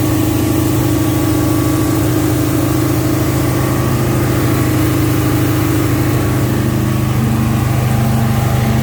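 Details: 1971 Alfa Romeo 1750 GTV, manual, started cold: a steady, even, fast idle with no misses or knocks. The idle is high because the engine is cold and drops as it warms; it may need adjusting.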